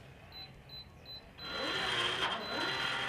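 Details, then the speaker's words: Schlage Connect keyless deadbolt after fresh batteries: three short keypad tones, then a strong, steady motor whir driving the bolt fully home at full strength, with no warning beeps or lights. "and there you have it no lights no beeps and you can hear the power turning the lock uh at full strength"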